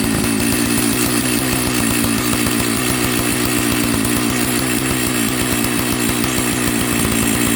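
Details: Old Jonsered 930 project chainsaw restarted at high idle: a high, buzzy note with quick, even firing that holds steady without stalling, so it runs. The owner suspects a spark plug connection issue, and the bearing underneath is bone dry.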